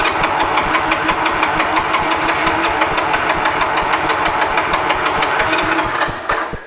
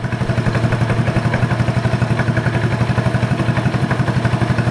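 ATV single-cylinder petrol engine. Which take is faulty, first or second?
first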